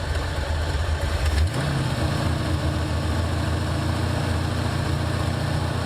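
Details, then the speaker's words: 1984 Ford Mustang GT350 V8, cold idle on slow Holley choke: rough low idle with sharp puffing tick on each firing pulse; leaking badly at the headers. "can hear it leak, definitely. Yeah, it's leaking bad. Yeah, it's leaking pretty good."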